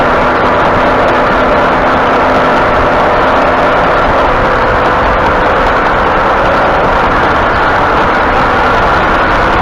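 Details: 2018 Ford F-150 at 67,000 miles: steady droning hum over heavy road roar, like aggressive off-road tires, from the front end while turning even slightly, with the front end hanging up rather than coasting; started two weeks ago.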